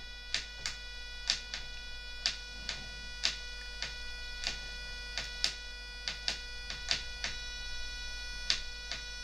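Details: Cheap RC truck (MX1608RX/TX chipset) DC motor with PWM drive being raised from 2 of 255, little current: steady high electronic whine, sharp ticks about twice a second, still not turning; PWM whine from stalled DC motor.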